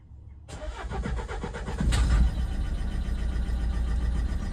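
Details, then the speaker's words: Renault Megane 1.5 dCi diesel with faulty injector (cylinder 3 flagged, swapped to cylinder 2 to confirm), connectors unplugged: cranks, catches, then idles with uneven lumpy clatter and irregular beat, revving oddly; misfiring cylinder from faulty injector. "it's definitely rev funny again"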